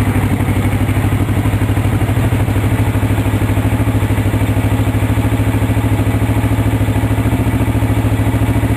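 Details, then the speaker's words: 1983 Suzuki GR650 Tempter DOHC twin with balancer, 11,000 miles, cold on full choke: even, low thumping beat near 200 per minute, quiet and smooth with no clatter; normal idle. "the engine does have a balancer on it so it's very smooth you'll see how quiet it is too running in a minute here"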